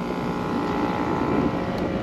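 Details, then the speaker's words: Packaged AC unit whose overheated compressor had open windings the day before: constant droning hum of fixed tone, suction and discharge pressures nearly equal, compressor running backwards on miswired three-phase and not pumping. "that just seems strange it's just not pumping"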